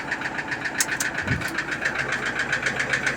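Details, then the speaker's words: Toyota Innova diesel idling with a steady, sharp tek-tek ticking about three to four times a second, heard when started; possible causes named are low oil or oil not circulating. "Ini kata beliau ketika mesin bunyi dinyalain bunyi tek tek gitu teman ya."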